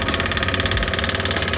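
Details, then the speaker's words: Cub Cadet ZT1 54-inch zero-turn mower with fuse refitted: rapid even clicking chatter from starter solenoid, no cranking or firing; solenoid suspected, not confirmed. "I just kind of got a little good reaction out there in the engine, but I'm getting a lot of You can see it's going to click and do that."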